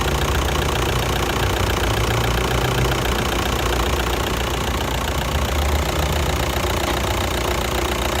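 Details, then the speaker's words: 2009 VW Touran 2.0 diesel, DSG-6, 118,000 km: steady idle with a loose, uneven knocking that comes and goes, dual-mass flywheel knock; worn DSG clutch that needs replacing. "В общем, по машине изношено сцепление, как слышно, уже звук периодически появляется."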